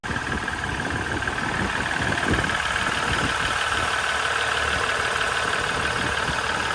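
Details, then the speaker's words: Ram 1500 EcoDiesel after original engine (about 117,000 miles, 8 psi oil pressure, metal shavings in oil) was replaced with a brand-new zero-mile Mopar engine; steady even diesel clatter at idle, no knocks or misses, healthy. "so here's us pulling the engine and we ended up replacing with a brand new zero mile mopar engine from the factory and you can hear it running here"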